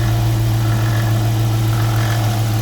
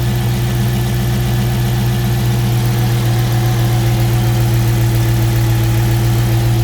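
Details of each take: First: 2018 Dodge Charger R/T V8 idling with a faint rhythmic rattle present for a few thousand miles, first suspected at an idler, tensioner or pulley; the cause was a worn water pump with shaft play and no leak. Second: 2018 Dodge Charger RT V8 idling steadily with a deep low hum and no rattle once the serpentine belt is removed; the earlier rhythmic rattle was traced to a worn water pump with shaft play.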